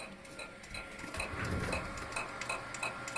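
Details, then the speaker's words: 1 TB hard drive being scanned with Victoria stops at 1844 GB and ticks sharply about three times a second, the head failing to read damaged sectors; fix is cutting off the bad-sector area. "все он остановился у меня жесткий действий затрещал получается он сколько прошел он пошел 1844 гигабайта и на этом месте он остановился"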